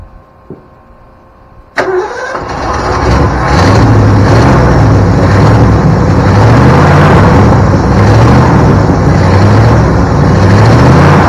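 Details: 1972 Ford Bronco 302 V8, first start in at least 20 years after confirming spark and supplying fuel: brief crank, then the engine catches into a steady, even low rumble with no misses; healthy running idle.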